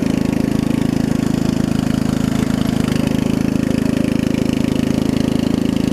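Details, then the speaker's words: Murray riding mower with 16.5 hp Briggs after new carb, fuel lines and valve adjustment, small exhaust leak: steady even beat around 200 pulses a minute, smooth drone, no misses, idles down low; normal running. "A little loud. It's got a little exhaust leak, but runs and drives great."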